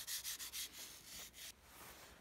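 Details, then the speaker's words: Nikon 70-200mm f/2.8 lens dropped in the sea and stopped working, partly disassembled: dry, hissy rasping as the barrel turns, gritty grinding from salt in the mechanism, with salt coming out. "i can hear the grinding sound that is a lot of sort and you see start to uh come out"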